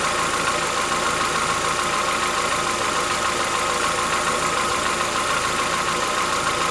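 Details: Chevrolet Onix 1.4 (2014-15), cold start on gasoline; fast even ticking about two per second over cold idle, lasting about 10 minutes, worsening yearly since new. Owner says it is inside the engine, not injectors, suspects lifter knock; dealers call it characteristic.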